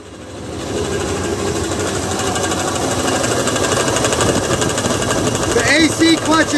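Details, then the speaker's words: 2003 Dodge Dakota running: fast, uneven metallic clatter, about four rattles a second, from the AC compressor clutch bearing, which has disintegrated and is throwing metal bits; belt kit ordered. "The bearing in this thing has just gone, flew into a million pieces."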